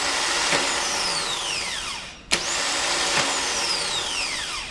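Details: Starter motor on MGB 18V engine test stand (battery, wiring and fuel pump fitted, no flywheel or backplate yet) spun twice: high whirring spin winding down smoothly, no grinding or clicking; normal starter motor operation.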